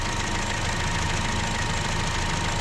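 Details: 2015 Chevy Cruze 1.4L after replacing the valve cover and intake manifold: steady, even idle with a smooth low hum, no misses, knocks or surging; fuel trims near zero, O2 reading good.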